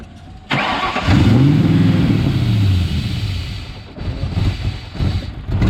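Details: Engine after an intake manifold install: starter cranks, catches briefly and revs, then sags and stumbles unevenly without a steady idle; failed start, cause not confirmed.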